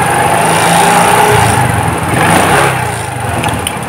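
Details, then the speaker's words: Suzuki Shogun 125 with a new spark plug, cleaned carburetor and good battery: at low throttle the engine surges and sags about twice a second. A stumbling hesitation traced to the carb needle missing its clip. "dengarkan mesinnya teman-teman ya ini pada saat pelang jadi ada kayak sendat-sendat teman-teman"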